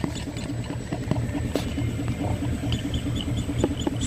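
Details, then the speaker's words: VW Passat front suspension: rhythmic low thumping and creaking from the front strut; the strut bump stop is broken and the shock shaft top is off-centre in its hole; fix is replacing the shock absorber kit. "quebrou o batente do amortecedor inclusive dá para ver nitidamente que eles a ponta do amortecedor está deslocada"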